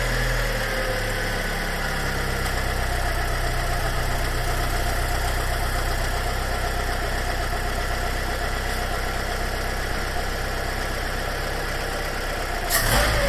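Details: Fiat 500 (Red Pop) petrol engine, restarted after coil pack refitted; coil pack and top lambda sensor already swapped without change: uneven, lumpy rising-and-falling rough idle, cause not found; throttle body swap next.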